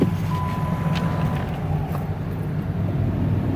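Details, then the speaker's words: 2010 Jeep, cold start on a below-freezing morning after overnight snow: a low, even rumble settling into a steady idle with no rough patches. It started up nice and smooth, a normal cold start idle. "Again, started up nice and smooth."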